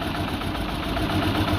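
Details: Peugeot 206 1.6 16V TU5JP4 engine at idle: uneven, lumpy, shaking low beat with no steady rhythm, abnormal engine tremor. Cause unknown, diagnostic scan started.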